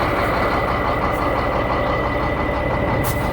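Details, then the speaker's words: Shacman diesel tanker truck, one wheel jacked up, in gear at idle to locate noise; thin constant high whine over diesel idle, source unknown, gearbox or differential suspected. "इसमें आवाज आ रही है। कहां से आ रही है कोई पता नहीं है।"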